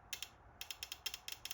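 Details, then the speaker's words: 1998 Pontiac Trans Am LS1 fuel injector off the engine, bench-tested by tapping drill battery power across its terminals: a dozen sharp dry clicks, mostly in quick pairs; actuator opening and closing normally. "put it on there but that's the that's the actuator in there going up and down"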